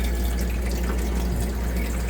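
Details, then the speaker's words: Manitowoc commercial ice machine after contactor replacement, resuming freeze cycle after ice drop: steady low rushing water flow with even hum, no knocks or surges; freeze cycle normal. "And it's resuming the freeze operation again. So I think we're good."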